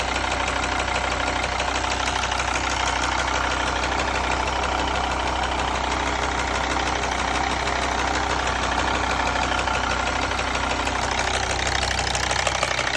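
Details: Mercedes ML 270 CDI OM612.963 diesel at idle: regular injector ticking about three a second, normal, with an abnormal heavier banging knock behind it; cause not yet found.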